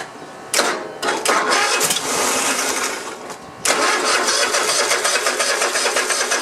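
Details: Cub Cadet i1050 zero turn left outside for years, cranking after priming from an auxiliary tank: quick, even chuffs with no catch; cranks fine but never fires. Fuel pump delivers old fuel; cause not yet confirmed.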